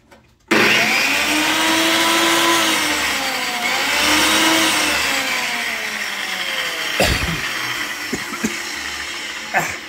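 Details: Old table saw after cleaning crud off switch contacts with sandpaper and abrasive disc, restoring continuity: motor spins up fast to steady even whine, no hum, stutter or rubbing; normal running.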